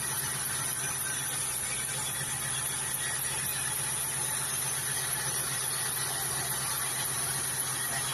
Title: zt 260 engine noise?